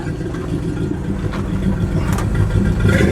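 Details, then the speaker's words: Warmed-up Ford F250 V8 with Flowmaster exhaust, before a road drive: deep, steady burble rising gently with a light rev, even firing, no ticks or knocks; sounds like a muscle car, normal exhaust note. "all the blinkers working this one's on it's got a nice flowmaster sound to it"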